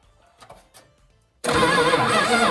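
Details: Chrysler 318 V8 convertible left unused for 15 years, fed fuel poured in directly: quiet cranking, then it catches abruptly into a loud steady even run. It starts and runs normally.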